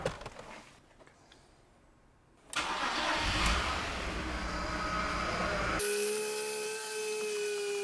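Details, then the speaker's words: BMW E46 with freshly swapped 330i M54B30 engine and 6-speed, first start: cranks and catches, then a steady high whine over the idle from the power steering pump, which needs more fluid. "So we are ready to start it. Here we go. That's the power steering pump."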